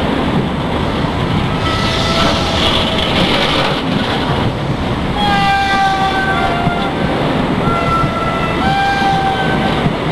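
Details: IC125 train pulling out of platform 5 at Reading: deep diesel rumble with strange high wavering squeals and whistling tones on top.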